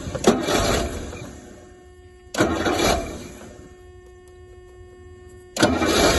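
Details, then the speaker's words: Rolls-Royce Silver Shadow on a freezing cold day, after fuel drain, rebuilt fuel pump, points, plugs and float bowl cleaning: three bursts of cranking that never catch; sparking and fuel present, owner suspects cold start or choke fault. "well after after all that now cleaning those bits I'm afraid it still doesn't appear to be any different just won't uh won't catch"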